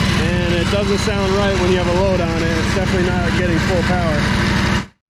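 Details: Ferris 52-inch commercial walk-behind hydro mower, twin-cylinder, smoking, after fixing a spark plug fault: uneven, lumpy chugging that never settles; a bad carburetor O-ring was blocking a fuel jet.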